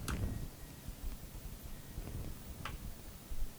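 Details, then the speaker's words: Sony PVM-8045Q professional CRT monitor (2003) switched on with a Super Nintendo connected over RGB: sharp relay click, then faint low hum and soft ticks; normal healthy startup. "I hear the click and the hum. That's a pretty good sign."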